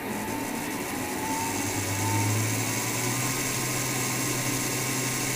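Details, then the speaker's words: Two-motor small car powered from a power bank, control modified for very high speed, accelerating forward: small motors spin up into a steady high whine that rises and holds evenly, a clean healthy full-speed run. "now I want you to hear the sound of the speed accelerating very"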